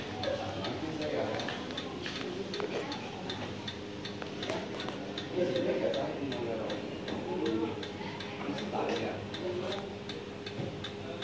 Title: Wobbly and noisy mountain air ceiling fan